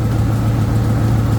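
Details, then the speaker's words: 1997 Ford F250 with 5.4 Triton V8, long-sitting project truck, idling: heavy low drone with an uneven puffing pulse up front, air felt blowing near the intake; compression suspected escaping from one cylinder, not confirmed. "I can feel the intake or something something's right here is blowing thing's"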